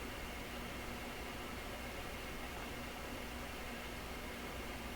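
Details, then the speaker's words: Canadian Admiral YS-3610 record player under restoration, nothing playing: a steady, even stereo hiss with a slight hum underneath and dirty controls; amplifier hiss, source unknown. "And I can hear it in stereo here. It's a stereo hiss."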